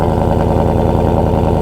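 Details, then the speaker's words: V8 exhaust after a Mighty Muffler shop welded several spots to fix exhaust leaks; deep, steady rumble with an even beat and no leak ticking or puffing, swelling briefly at the end; normal exhaust note. "it's not too loud but if you get into the pedal it's pretty decant Loud"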